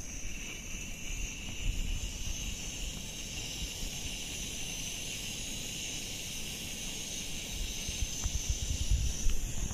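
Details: MSR WhisperLite Internationale 600 liquid-fuel stove on a back deck in late November, relit after about five minutes off and repressurized, boiling water: steady even hissing roar, high rush over low rumble; burning cleanly at full flame, near rolling boil in five minutes.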